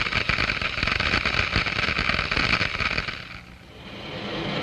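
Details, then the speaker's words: Glass venturi at increased flow rate: water boils in the low-pressure throat, and a dense, fizzing crackle like gravel in water runs steadily for three seconds, then fades, as bubbles collapse in the higher-pressure flow downstream. "the water in the throat where the pressure is lowest begins to boil small bubbles are formed these are cavities filled with cold steam and other gases diffused from the liquid the noise is generated by the collapse of these Bubbles as they move into the higher pressure in the"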